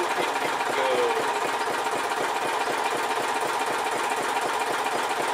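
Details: Old 4 HP Briggs & Stratton lawnmower engine after carburetor cleaning and reinstall (it had loped up and down at full throttle, suspected plugged mid-circuit); even, steady buzz with no rise and fall in speed, running good now.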